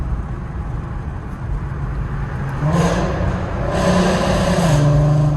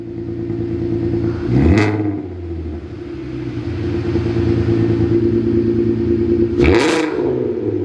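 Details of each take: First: VW Mk5 R32 VR6 with new exhaust and resonator delete: steady light-throttle drone, then more throttle brings a coarse rasp over the note; raspy exhaust that only sounds good at light throttle. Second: VW Mk5 R32 after installing a new valved exhaust; deep steady drone with two clean rev blips, no rasp or rattle; much louder but healthy exhaust note.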